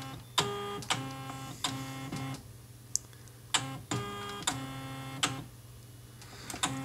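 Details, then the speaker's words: HP-2727nf multifunction copier with a scanner error 5, after the scanner motor repair: the motor hums in short, steady bursts with soft clicks, and the carriage settles on the calibration strip without the earlier grinding. "le bruit de grincements qu'on avait avant et là tout doucement il vient ici il va se caler sur la règle est de calibration"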